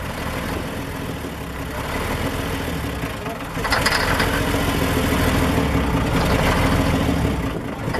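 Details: Ikarus 250.95 bus (1990) diesel started after about ten years standing: runs unevenly and chugs near idle, then picks up and steadies as it is coaxed back; rough running after long storage.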